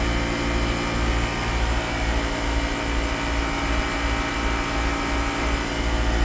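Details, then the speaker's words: 2010 Mercedes-Benz GL450, after the air suspension valve body module and compressor replacement: steady low drone with a soft pulse around 2.5 per second, no knocking, while the suspension rises. Normal, fast pumping, a tiny bit loud. "And it's pumping quite fast, which is good. This compressor is it is just a a tiny bit loud, but it does pump really fast."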